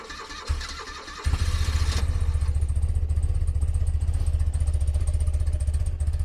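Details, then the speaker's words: 1982 BMW R100RT cold start, header ice cold, choke pulled, petcocks on, electric start. Starter whirs briefly, twin catches immediately and settles to an even, steady low idle with no knocks: normal healthy cold start. "pretty impressive 1982 you can tell how well this thing is sorted and tuned"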